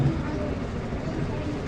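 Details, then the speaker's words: Whirlpool LSP1080GP automatic washer, after repair of helicopter-like noise in dryer/spin mode, spin test: steady even low rumble, no flutter or chopping; now quiet and healthy. "Ayun humatak na. Ayun umikot na. Ganda na."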